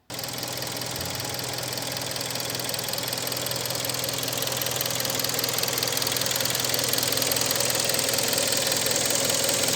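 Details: Hyundai ix35 2.0 petrol G4KD engine, 2013, nearly 100,000 km, after an overhaul with cylinder boring for scoring in cylinder 4: smooth idle with only light, even ticking and no deep knock; normal idle.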